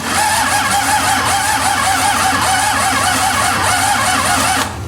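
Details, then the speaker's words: Cummins 6BT 12-valve diesel that sat a year with water ingress and prior hydrolock, injectors bled, high-pressure fuel spraying from lines, heavy blow-by smoke: starter cranks in even compression pulses without firing; crank no start, owner suspects stuck rings. "I've got high pressure fuel coming out of the line. Literally, it'll spray as far as you want it to. But still no fire."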